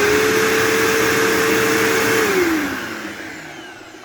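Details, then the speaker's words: New old-stock 2007 Bissell PowerForce 3525-2 vacuum on first run: smooth, steady motor tone with even airflow rush, the earlier odd brush-roll noise gone, then a clean spin-down; sounds normal, like a 3522. "Oh, it sounds fine now. What the heck? Wow. That sounds exactly like it should. It sounds exactly like my 3522."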